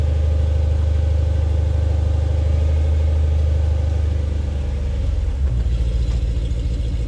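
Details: 3UZ-FE V8-swapped Mercedes C-class cold-started for the first time in 4 months (battery 11.5 V at ignition on): deep, even V8 rumble settling into a steady idle, no misses or knocks; starts without issues, a normal healthy cold idle.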